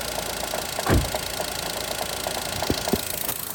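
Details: Daihatsu Mira engine at idle: a light regular tick with heavier knocks breaking through every second or two; internal engine knock of unknown origin.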